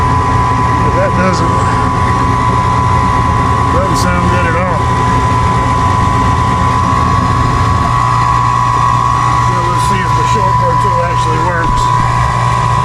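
Loud steady motor drone with a constant high whine and a slight shift partway through; the inducer sounds strained and unhealthy. Cause suspected, not confirmed.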